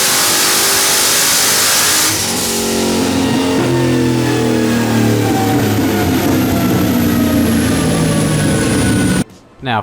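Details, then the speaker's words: 2001 Firebird, iron 6.0 L with billet S484 turbo, TH400, 80 lb injectors, on pump gas with meth, pulling on the dyno: ragged, stumbling misfire at about 10 psi boost while running super rich; a bad plug or wire is suspected. "hit there was about 10 lb of boost and it was pretty sketchy it was uh I feel like it had a misfire it was also Super Rich"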